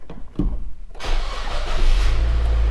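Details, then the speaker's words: Manual-transmission used car started during a pre-purchase inspection: brief crank, then it catches within a second and settles into a steady, even idle with no rattles; normal start. "okay car seems to start up okay they don't hear any weird rap weird rattles or anything like that"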